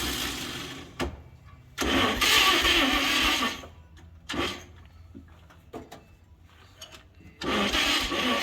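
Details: 1938 Chevrolet Master Deluxe, sitting since the 1970s, first revival attempt: sluggish, uneven cranking bursts with long pauses that never catch, a slow crank and no start; owners suspect low compression and a weak starter.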